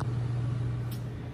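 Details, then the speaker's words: HeatStar 50,000 BTU gas garage heater on first run after vent kit install, heating the garage: brief steady low hum of constant pitch, no rattles or surging; working fine. "our furnace is working just fine uh now it's just cranking and trying to uh get up to the temperatures i have set it to"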